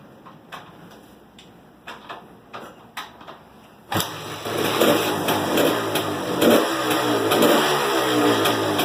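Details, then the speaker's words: 1978 Yamaha DT400 two-stroke, stock engine with V-Force reed cage, after 12 V lighting and ignition conversion kit: a few kicks, fires up and revs cleanly with crisp even crackle, no knocks or misfires; runs great. "So let's get it started. And you can hear how it sounds. The thing runs great."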